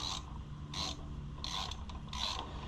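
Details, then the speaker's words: 2016 Ford Super Duty front wheel bearing, removed and turned by hand: gritty, ratcheting clicking scrape from a worn bearing, judged junk. "I hear that clickety clicking in there too. That. Yeah, I'd say that's junk."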